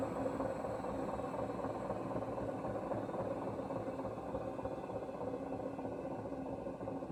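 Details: 3.5-year-old Hoover washing machine running with a loud, continuous rough rumble over a steady hum; owner unsure whether the bearing or the motor is the cause.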